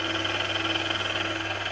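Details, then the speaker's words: Steady hum with a constant high-pitched gear whine at low speed from the rebuilt VF1 gearbox after the gears were polished; gear noise remains but is noticeably quieter than before, engine not yet fully warmed up. "got the gearbox noise which obviously we knew we were going to have but it seems that polishing the gears up of it has definitely made a [Applause] difference"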